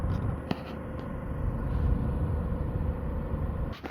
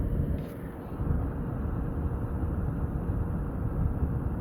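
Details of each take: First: DeForce cordless fan (DeWalt battery clone, 2200 RPM) set between low and medium; a steady thin whistle over the airflow hum with handling clicks, from the motor shaft; this fan later burned out and smoked. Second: Original fan set between low and medium, for comparison with the newer one; only a soft, even rush of air with no whistle or tone; normal quiet running.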